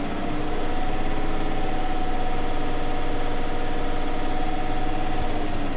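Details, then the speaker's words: Chevy truck engine idling with a dead miss after new plugs and wires; number two cylinder on passenger-side front checked, lumpy uneven idle with a repeating stumble as one cylinder doesn't fire; rocker arms or lifters suspected, compression test next. "It's got a dead miss in it, dude."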